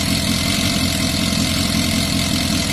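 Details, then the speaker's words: Yamaha Fazer FZS 600, 29,000 miles, off the road since 2006, oil just topped up, throttle not yet connected: busy, steady idle with light, fast ticking over the note; owner expects it to quiet once the oil circulates. "And then I think it does sound quite loud, but that oil needs to circulate."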